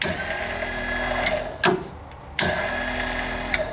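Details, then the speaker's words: Roof-cleaning pump on a truck skid, relay bypassed and solenoid wired to a waterproof switch: a sharp click cuts the pump hum and another click brings it straight back; solenoid switching the pump on and off cleanly. "you can hear hear it clicking solenoid clicks we bypassed the whole relay"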